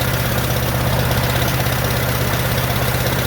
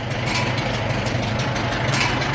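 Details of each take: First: 1947 Farmall M tractor after rebuild: deep, uneven, lumpy idle with missing beats and no power, running on only two of four cylinders with popping from the carburetor. Reversed plug wires were later found to be the cause. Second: 1947 Farmall M four-cylinder, first start after rebuild: steady low, even chug at idle with no knocks or misses; runs well with plenty of power, and no noises from the rear end.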